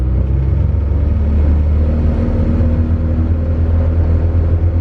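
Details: Honda Civic EG coupe with stock B18C1 GSR engine on a dyno, pulling away off the clutch into light-throttle cruise, mixture slightly lean: steady even low rumble with no stumbles or hesitation; normal running.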